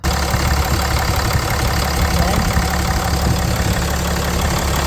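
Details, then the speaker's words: Ram 3500 heavy engine idling after heater core supply hose replacement to cure a coolant leak: steady, even low clatter with no misses or odd noises; belt and coolant look good; normal idle. "Running, the belt still looks good. Coolant has good."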